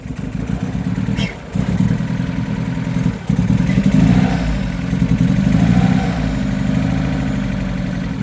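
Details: Astra VXR whose oil cooler lines popped off while driving, losing oil pressure; this is its first start after refilling the oil. It runs with an uneven clattering beat under light revs, suggesting engine damage from oil starvation.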